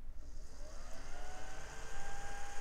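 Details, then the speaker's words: CPU fan on a dusty mid-2000s salvage motherboard, before cleaning: thin whir rising in pitch as it spins up with a faint uneven flutter; fan sounds a little rattly, due for cleaning. "okay it sounds a little bit rattly I guess we'll give it some love that dust build up though"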